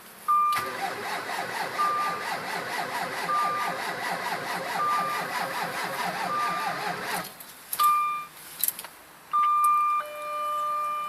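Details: Jaguar S-Type 3.0 at -32 degrees: slow, labored cranking for about seven seconds with a warning chime, never catches, hard cold start; owner suspects fuel injectors needing cleaning.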